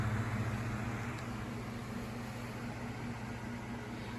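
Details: Galaxy 9-inch desk fan (model 2154 believed), with a motor the owner thinks is an old, higher-quality Sanyo motor: steady, even, low hum with no rattle or ticking; normal, healthy running.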